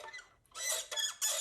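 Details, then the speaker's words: 1985 original Nintendo NES, cartridge door rubbing on two small metal pieces on its mechanism: three sharp high squeaks as the door swings; squeaking, gummed-up cartridge door hinge, fixed by lubricating it. "and that is with the door that you open to put in a cartridge it squeaks"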